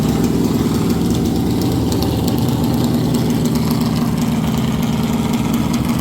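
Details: Stock 440 Mopar big block from a camper, in a Chevy K10, with the biggest cam that fits, at about 700–800 rpm idle, gauge about 175°F: lumpy idle with uneven beats and an occasional missing pulse. Misfire suspected from two plug wires with bad spots, or too little rpm over the cam.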